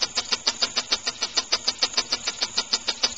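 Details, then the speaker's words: Homemade rotary-valve compressed-air engine, timing retarded and flywheel balanced, up to about 25 psi: crisp, even exhaust puffs about 200 a minute, steady with no misses; normal slow running. "Nice and slow. I like that."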